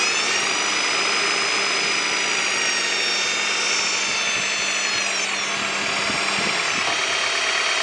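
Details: 1998 Honda Prelude with oil pressure light flickering at idle, oil level fine and freshly changed: hard, steady high-pitched whine over running engine at near-constant pitch; not power steering, pulleys or timing belt; owner suspects oil pump.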